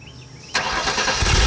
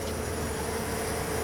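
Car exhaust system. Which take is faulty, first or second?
first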